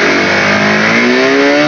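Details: Honda CB150R that loses power and won't rev out at full throttle: revs climb slowly and evenly but never snap up at the top. A dirt-clogged part is removed as the suspected cause, yet the symptom stays the same.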